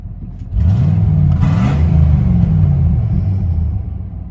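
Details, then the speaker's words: Cheap running and driving V8 truck: loud deep rumble that swells with throttle, with a coarse chuffing edge under load from a wicked exhaust leak. "You'll hear this in the video coming up, but it has a wicked exhaust leak, so it fits right in with the rest of my junkers."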